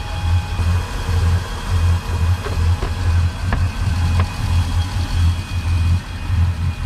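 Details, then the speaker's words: Volvo Penta 8.1 Gi (496) marine engine runs very rough, shaking at idle with a lumpy, uneven loping beat and only reaching about 2800 RPM; misfire on one cylinder, spark ruled out. "It's running very oddly. It's shaking at idle and it is not making RPM. It only makes about 2800 RPM."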